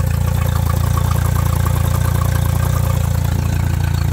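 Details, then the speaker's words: Mercury 60HP outboard idling over 900 RPM, about 150 high: fast even idle with quick pulsing IAC flutter; IAC working but sitting at 9% instead of 20–30%, throttle body air leak, throttle body to be replaced. "Now, this one, I'm going to start it here, is running over 900 RPM at idle, which is about 152 high."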